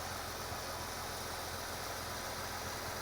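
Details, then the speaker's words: 2012 Nissan GTR Premium, 3.8L 530hp V6, AWD, 6-speed, 129,500 miles, idling not fully warmed, recorded from underneath the engine bay: steady even hum with very little bell housing rattle; transmission sounds healthy, normal idle. "now it hasn't totally warmed up yet but um um yeah this is um as far as I'm concerned the transmission is still working great um and very little bell housy noise"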